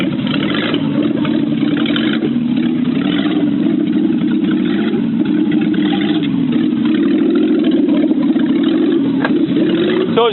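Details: BMW 325i E30 with a swapped-in low-mileage M20B25 inline-six and manual gearbox, M50 injectors, cold air intake and Dinan chip: smooth engine note rising and falling evenly with throttle, no knocks or misses. Healthy revving.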